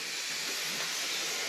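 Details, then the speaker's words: Honda intake manifold with new plate and adhesive, pressurised, no motor running: steady sharp hiss; small boost leak from the manifold, less than before, throttle body flange area checked. ">> Oh, she's leaking somewhere already. A little bit. Yeah, she's still leaking from there. Not nearly as bad."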